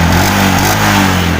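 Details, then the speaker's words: Yamaha Jupiter MX New after replacing the CDI to cure weak, intermittent ignition and hard starting; engine picks up crisply under throttle, pitch climbing smoothly with no misses; running normally, though the exhaust smokes. "Oke, langsung hidup. Oke teman-teman ya, untuk motor sekarang sudah normal, sudah enak dihidupkan, sekali engkol pun juga hidup."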